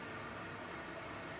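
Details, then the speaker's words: Zanussi/Electrolux washing machine (IZ/XC range) in service mode, main wash valve test with an empty drum and the door shut. An even, steady hiss of water rushing in, with no chatter or buzzing, shows a normal fill. "we're only going to be going forwards today so first of all we've got the main wash valve test"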